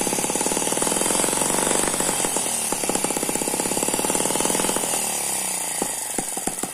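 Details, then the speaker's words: Eachine ET9 (M15) mini gasoline engine, a balanced single cylinder with twin counterbalances, running on a tarpaulin: high, fairly steady speed with a fast even patter and no misses or knocks; very smooth running. "that's a very smooth running engine it does not dance around the main vibration here is because it's on top of this this tarpaulin"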